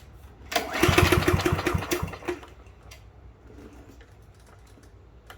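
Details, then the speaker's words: Curbside Yard Machine push mower 11A-02MG029 that the previous owner couldn't start, after a spark plug change and reconnecting the throttle linkage: about 1.5 s of recoil-pull chuffing that dies away with no firing; cranks but won't start, cause unknown. "all right we got nothing I'm at a loss so why don't you guys go ahead and let me know in the comments if we can get it what do you think it might be"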